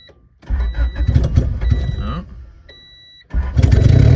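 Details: Honda Civic EG coupe with B20 engine, all-wheel-drive conversion, open header, very low on fuel: catches in ragged bursts, cuts out near silent, then fires loud and lumpy; hard start and stumbling, owner suspects low fuel.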